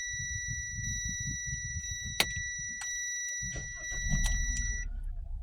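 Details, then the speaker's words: Kia engine idling rough and shaking, with an uneven stumbling beat under a steady high warning tone. Fault code P0303 points to a cylinder 3 misfire, and the wiring was found broken by earlier work at another garage. "Miss fire है एकदम यह यह हिल रहा है एकदम देखिए डोका का साउंड आता हुआ"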